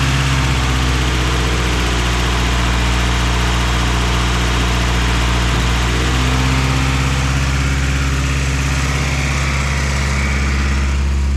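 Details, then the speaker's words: Car whose idle air control valve had fallen off: steady, smooth idle sitting noticeably high with no hunting; covering the valve hole drops it further, so the idle air control valve has gone bad and needs replacing. "she's still right idling high but at least now i know what to replace idle air control valve's gone bad"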